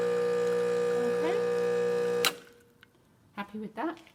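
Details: Rancilio Silvia espresso machine, test shot after a completed full service and tune-up: an even buzzing pump tone holds steady for two seconds, then cuts off cleanly. Normal pump operation.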